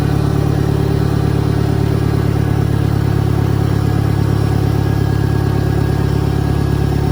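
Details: 1963 John Deere 1010, original and properly maintained, 1,000 rpm, first gear on a backyard lap, needs valve seals; low steady engine drone with only a faint gear hum, no whine or clunk. Normal transmission noise.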